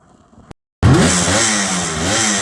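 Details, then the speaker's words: 1978 Kawasaki KH400 two-stroke triple after storage, after carburetor work fixed running on two cylinders: brief gap, then a sharp rev climbing quickly to a busy, even crackle; all three cylinders pulling. "oh yep nice worth doing rev it up properly"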